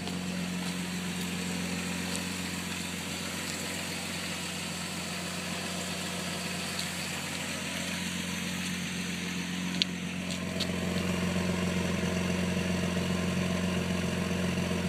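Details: 2001 Jeep Grand Cherokee WJ Limited, 4.0 with California emissions, after cold start: uneven, lumpy idle with slight wavering; began after fixing a broken EVAP fill vent tube, owner suspects the fuel pump dislikes a pressurized tank.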